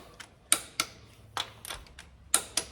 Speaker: There we go. Do you hear that click? That tells me that it's tight.